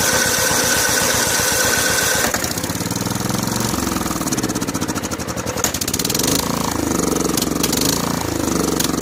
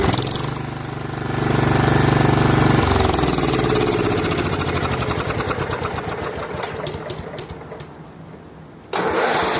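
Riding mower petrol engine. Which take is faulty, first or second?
first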